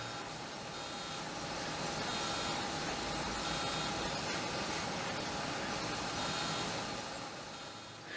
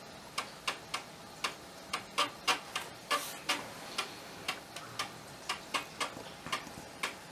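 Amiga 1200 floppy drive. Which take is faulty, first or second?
first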